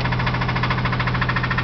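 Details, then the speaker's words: Engine that blew up while driving, idling with rod knock: sharp, rapid metallic knock riding steadily on the low rumble. "my engine blew up so my wife's not getting an engine I am and here's what it sounds like nice cheery rod knock going on awesome ain't"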